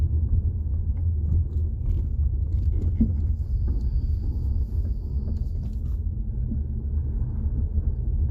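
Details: 2018 Jeep Compass driven over bumps, mic held underneath near the floor: steady road rumble with loud dull clunks from the front end; worn front sway bar links suspected, not a ball joint.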